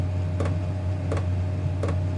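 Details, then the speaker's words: Chinese diesel heater after glow plug replacement, combustion just started and warming: sharp regular fuel pump ticks about every 0.7 seconds over a steady low combustion roar; normal fuel pump ticking. "and will increase in speed and the pump will pump faster and faster and faster until it gets right up to top temperature and then it will settle back down to the frequency that I've got this set at which is four Hertz"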